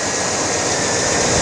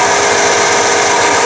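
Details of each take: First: 1989 Chevy K-1500 at idle after the alternator was replaced: a short, steady whir with no squeal, whine or grinding; normal alternator sound. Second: 1989 Chevy K-1500, alternator only about 1.5 years old, charging fine; steady high jet-like whine over running engine; failing alternator bearing, alternator being replaced.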